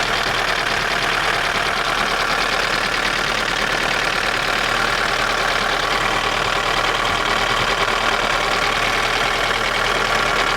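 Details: Daewoo Nexia N100 1.5 8-valve petrol at idle, hydraulic lifters already replaced: light, uneven metallic tapping over the hum; engine knock, source unknown.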